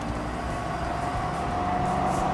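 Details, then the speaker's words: Volvo with a locker rear end and 4.10 gear set, recorded from inside the car while driving after a damaged pinion: thin whine rising with speed on acceleration, described as sounding like a helicopter; damaged ring and pinion. "i'll take a video of actually driving it from inside the car so you can hear how awful it sounds"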